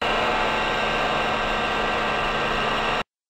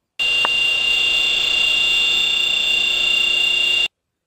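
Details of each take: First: VFD-controlled electric motor when new, before bearing fluting developed: steady even run with soft low hum and airy hiss, no whine or grinding; normal motor run. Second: whine often accepted as normal comes from the variable frequency drive controlled motor where the bearings had become fluted this motor is on path towards premature bearing failure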